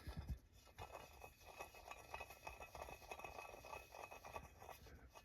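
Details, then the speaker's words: Husqvarna 395XP chainsaw, aftermarket crankcase swap: a new bearing turned slowly by hand makes a faint, gritty scratch and sounds rough. Debris in the bearing is suspected and might clean out; this is not confirmed. "oh got a little you know there's a booger in there so you know just remember that these aren't like sanitized before they're shrink wrapped"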